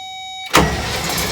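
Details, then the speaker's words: 1965 Chevy van six-cylinder sitting 50 years, spark plugs out, in neutral, starter jumped directly; tone and click then steady even spinning with no binding or grinding, engine turns freely. "Let it spin for a second. Oh yeah, shit. Feels good, sounds good. Ain't nothing wrong with that right there."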